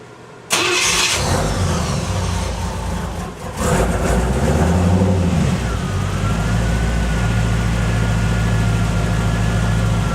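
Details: 1986 Cadillac Cimarron 2.8L V6, arrived by tow, before its major tune-up: starts after a short crank, then a lumpy, uneven, stumbling idle. Misfire because replacement plug wires go to the wrong distributor cap terminals.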